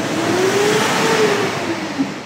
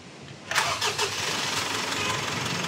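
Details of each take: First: Mitsubishi Strada diesel, about 2019 model, blowing very black exhaust smoke: revving gives a loud breathy hiss and faint rising whistle, air audibly leaking and droning under throttle; cause a torn turbo boost hose. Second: Mitsubishi Strada diesel, about 2019, after replacing the torn turbo hose that caused black smoke and a strong air leak: a few quick cranking chugs, then starts and settles to a steady even idle with no hiss; normal.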